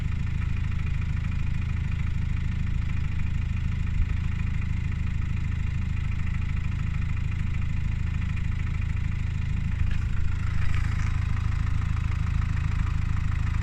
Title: Subaru Outback 2.0D Weird engine sound